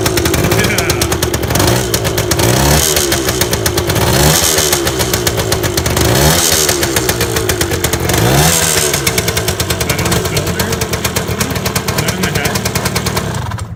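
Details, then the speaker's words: 1978 Yamaha DT175 Enduro two-stroke, first runs after rebuild: loose tinny rattle over the uneven beat as it revs, suspected underguard; owner also suspects piston slap and a rattly clutch basket; rattle while running. "That rattling, is that in the head? No, I think the rattling is like, Keys. no, this thing. What is that? The underguard."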